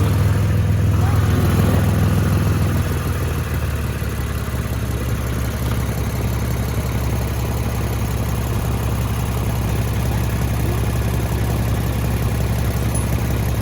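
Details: Lexus GS350 AWD after its cracked exhaust pipe was patched with a clamp. A steady, low exhaust drone at idle with an even pulse and no rattle or ticking; normal idle, exhaust now sealed.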